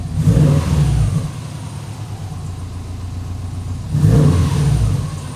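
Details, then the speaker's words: Freshly rebuilt engine after about 50 miles, fresh 20W-50 VR1 oil change after metal found in filter: two clean throttle blips with deep even exhaust note, no knock; fuel trims fine, engine healthy. "And this engine is running perfectly good. No knock, no nothing. Fuel trims are fine. Everything is great."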